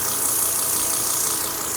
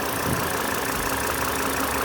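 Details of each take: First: Volvo XC90 idling: steady airy hiss over a quiet engine, a vacuum leak most likely from shrunken, bad fuel injector O-rings, fixed by replacing them. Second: Volvo XC90 petrol engine idling smoothly with no hiss after replacing old, hardened, shrunken fuel injector O-rings that had caused a hissing vacuum leak.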